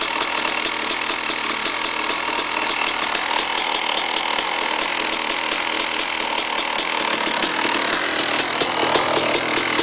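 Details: KTM 380 SMR two-stroke supermoto at idle: harsh rattly metallic chatter over the exhaust; bad engine noise, cause unclear.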